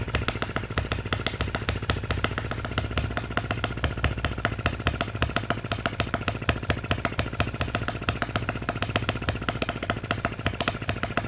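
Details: Miniature Lister D working petrol engine (OKMO/Retrol), first run after first-pull start, with fresh sump oil, petrol and hopper cooling water: crisp, even popping about three beats per second at a steady level, no misses or knocks. Normal running.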